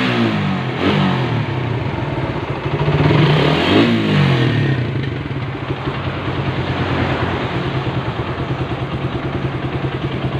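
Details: Suzuki Satria FU 150 after an engine rebuild; crisp revs rising and falling, then a steady, even idle with no knocks or rattles, the engine sounds smooth: normal running.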